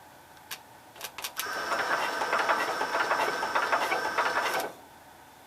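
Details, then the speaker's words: Cub Cadet 122 garden tractor that won't turn over with the key because the starter and solenoid wires were swapped. Touching the terminal directly makes the starter whir the engine for about three seconds with even compression pulses; there is no spark yet. "Because won't turn over with the key switch."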